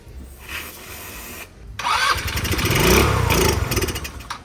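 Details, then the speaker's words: Old scooter, spark confirmed: cranking then brief ragged firing that fades; fires only on starting fluid down the carburetor, not yet using the carburetor; owner suspects possible fuel pump issue. Engine fires only on starting fluid. "She's firing off with a little bit of starting fluid down the carburetor, but it's not quite using the carburetor yet."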